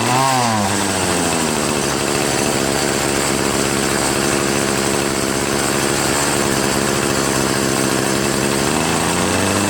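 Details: Troy-Bilt TB70SS 33cc two-stroke string trimmer, unused three years, after high/low carburetor mixture screw adjustment on a cold 37°F day: revs up and holds a steady high buzz without bogging, then winds down cleanly.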